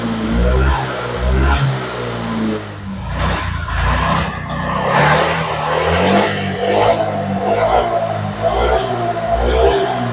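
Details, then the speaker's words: Honda Vario 125 old (Vario Techno, KZR) after repair of severe hesitation/misfire (brebet parah); fuel pump pressure was normal, injector checked; engine now blips up and drops back cleanly with crisp, even throttle response, no stumbling; healthy revving. "ini sudah selesai Berarti tarikan motor sudah kembali responsif sekarang kita matikan sa kontaknya"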